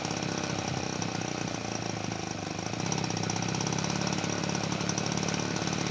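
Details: 1977 Peugeot 103 V moped after restoration, first start in a long time on full choke: rough uneven two-stroke buzz with revs sagging and picking up, never holding idle; cause not confirmed.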